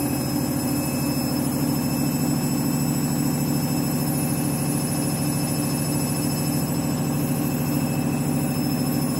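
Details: Washing machine final spin after a very sudsy final rinse, load sensor setting spin speed; loud steady low roar with rapid rhythmic throb about three per second, noticeably noisy spin.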